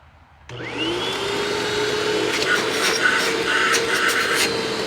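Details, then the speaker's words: Hoover WindTunnel self-propelled upright vacuum, curbside find, uncleaned, red dirty light on: motor spins to a steady high whine with irregular rattling bursts; loud racket, cause unclear. "I don't know if you can hear that or not but it certainly makes a bit of a racket"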